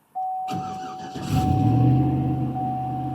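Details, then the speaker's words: 2010 Chevy Silverado after throttle body cleaning, TPS replacement and relearn procedure fires after a brief crank and holds a steady fast hum, never dropping to normal idle; idle stuck high. "Oh, it's still doing this high RPM thing."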